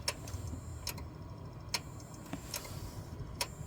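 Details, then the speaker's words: One of two 12-year-old Seagate SATA hard drives in a PC stuck at the BIOS screen, at power-on: sharp irregular clicks every second or two over a quiet hum, with vibration pointing to the top drive; click of death suspected. "I'm gonna go ahead and power on and just see figure out from the sound which one's clicking or potentially maybe now that it's updated there's no issue"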